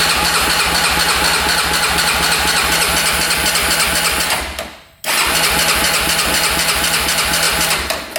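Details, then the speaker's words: 2004 Honda 400EX quad, non-running, sand was sucked into the cylinder: even rapid cranking, turns over smoothly but never fires; owner suspects low compression, spark and compression to be checked. "turns over. Sounds pretty smooth in there. So, the seller wasn't lying about that. Obviously, it did not fire."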